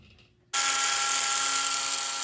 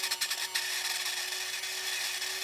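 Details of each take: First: Vintage Lionel 3927 track cleaning car motor after disassembly, cleaning and repair, on track: spins up abruptly into steady high even whine, no catching or grinding; rotates very well, normal motor run. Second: Lionel track cleaning toy train car with rusty, dirty wheels and dry axles: harsh, high scraping grind with uneven rasp as it runs, before lubrication and cleaning; grinding noise, cause suspected.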